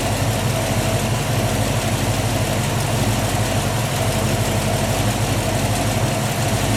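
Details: 1967 Ford Mustang 347 V8 idling after a new battery, cables and alternator, run with UV dye in the oil to trace a leak at the bell housing: steady, even low rumble, no knocks, ticks or hunting; normal idle.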